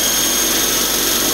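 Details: eFlite Blade 400 flybarless RC helicopter, first spool-up after rebuild: steady high motor whine with even rotor rush, no ticks, rubs or wobble; blades straight and appear to track, smooth healthy spool-up.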